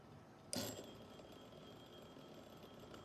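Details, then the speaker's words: Rebuilt Edison Triumph phonograph motor with new steel gears, governor tapped: soft, even whir with faint singing from the governor drive gear, no knocks or catches; smooth run. "You see how smooth that is?"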